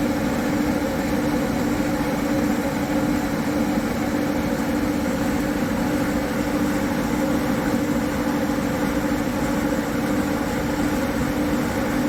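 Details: High-mileage Harley-Davidson M8 V-twin with S&S 129 Power Plus kit, big injectors and kit cam, on dyno rollers after tuning: steady, even drone at constant speed, smooth tone, no knocking or rattles; normal running, 136 hp, 154 ft-lb.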